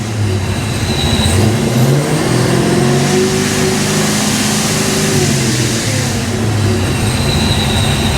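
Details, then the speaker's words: Foxbody Mustang 347 supercharged V8 after a high-volume oil pump swap, running 5W30. Still cold, idling at 530, given a gentle rev: smooth, even rise with no whine or knock, much quieter than before; normal. "that is so much quieter"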